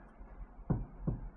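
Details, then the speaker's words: 2000 Honda Accord (right-hand drive, Godspeed coilovers) on inspection: three dull clunks as the wheel is rocked by hand; upper ball joint on the upper control arm is worn on this side too. "The upper ball joint is bad on this side, too, for the upper control arm."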